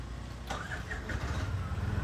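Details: Auto rickshaw after starter motor repair: short crank burst, engine catches and settles into steady low idle, starting cleanly; sometimes won't start if accelerator is pressed; normal start.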